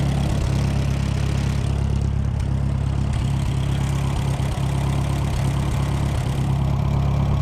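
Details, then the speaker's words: Late-1960s Smyth Welding 3-point PTO snow blower attachment, engine run in the cold with choke almost full: low uneven loping idle about three beats per second; owner suspects carburetor icing and adds gas line antifreeze; rough running on choke. "Choke on almost full. I'll bet you it's iced up inside that carburetor."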